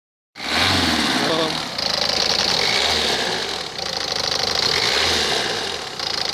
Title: Ford fiesta mk6 1.4 tdci bad water pump